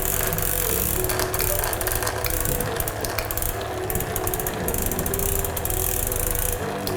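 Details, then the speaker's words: SRAM Red eTap rear derailleur after pairing and micro-adjustment, shifting up through the cassette range to check the noise is gone; quick clicks and chain ratcheting with no rubbing or grinding, shifting clean. "Then you can shift up all through your cassette range to see if that that sound appears anywhere else like here."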